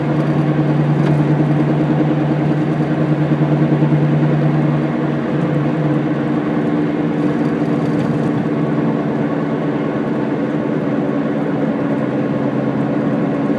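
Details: Car wheel hub bearing noise while driving: steady low "go-go-go" hum under road noise while coasting down, clearest during deceleration in the latter part and fading as speed drops; worn hub bearing.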